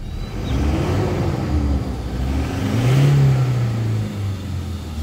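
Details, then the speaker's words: Toyota Hilux 2018, 2GD 2400 cc diesel, 4x4: engine picks up quickly on throttle and settles back with a smooth even note; very responsive and smooth, healthy diesel. "sangat responsif mesin sangat halus rata"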